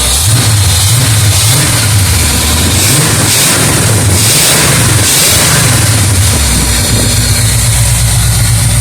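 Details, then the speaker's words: 1976 Oldsmobile 455 big block with 400 Turbo in an 1984 Blazer/Suburban, sat 155 days; old Quadrajet barely pumping, revs swell and sag when throttled, not getting much fuel; fuel starvation, fuel pump to be sorted. "yeah that's that's not getting much [Music] fuel so I think what we'll end up doing is uh getting this fuel pump [Music] situated"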